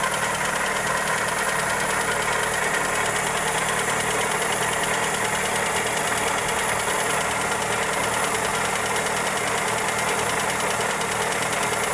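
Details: Toyota Corolla EE90 with 2E engine at steady idle: light, uneven tick roughly once or twice a second; valvetrain or connecting rod knock suspected, cause not confirmed.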